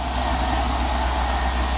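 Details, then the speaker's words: V8 engine at steady low idle with a faint hollow knock underneath; owner says piston slap appears about 30 seconds after start and goes away once pistons warm; idler tensioner recently smooth, alternator whistling, engine won't rev. "oh there's a piston slap hear it takes 30 seconds till it reveals itself once the Pistons warm up it goes away"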